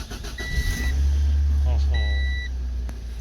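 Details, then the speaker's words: Old Honda CRX, sat 18 months, fuel pump primed, cold engine on a hot day; two chimes then quick start into a deep, steady idle that settles evenly: normal cold start after storage. "just like a Honda should that's pretty great"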